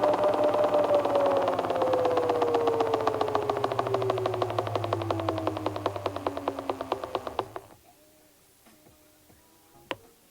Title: inboard M1 Hub Motor Crackle / Clicking Sound Test Issue